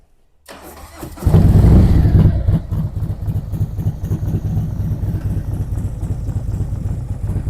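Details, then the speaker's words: 2023 Harley-Davidson Street Glide ST Stage 2 (CR483 cam, Bassani header, ThunderMax) started for cold-day test ride: quick flare, then even loping idle about three and a half beats a second; rider reports it needs nothing, normal idle. "Tony's froze to death, but he reports it don't need nothing. and I believe him because he knows what he's listening for when he rides these things."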